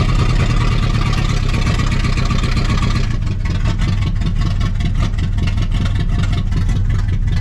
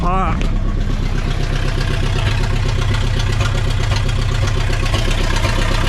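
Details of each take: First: 1960 Pontiac Ventura hardtop, base 2-barrel 389 V8 with automatic, first start after 24 years parked, cold with snow, in gear: deep, low idle thumping evenly, steadying with no stumble; cleaning up, running on all cylinders. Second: 1960 Pontiac Ventura, 389 two-barrel V8, automatic, parked 24 years, revival idle: uneven lopsided lope with a dropped beat, missing a cylinder; better afterward but still slightly rough. Misfire.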